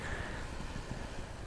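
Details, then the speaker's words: Bicycle brakes after cleaning, hard stop on a night ride: soft road hiss and a single click, no squeal or howl from pads; steep hill not yet tested. "so far I'm not really noticing any squealing noises from my brakes"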